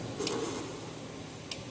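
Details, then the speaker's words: Gallagher S100 solar fence charger on 12.7 V power supply during test/repair: sharp single clicks about every 1.25 seconds over quiet background; pulsing normally, later measuring about 8.5–8.6 kV open circuit. "hear it clicking probably good to go"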